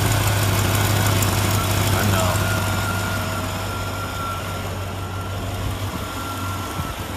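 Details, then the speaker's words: LT1 V8 idling after throttle body coolant bypass with new silicone hose, bypass port left uncapped: even steady rumble, no misses or knocks, running good; normal idle. "it sounds like it's running good he's running all right one thing at a time one less problem to go after right there"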